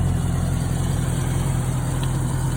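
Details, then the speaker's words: 1989 Jeep Cherokee 4.0 inline-six, cold start with late oil pressure buildup, about 5W-30 oil plus Lucas: smooth, even low idle, no tapping or knocking; normal cold idle, knock appears only after warming up about 10 minutes. "And as you see off the bat, except for the dry startup, sounds pretty much normal."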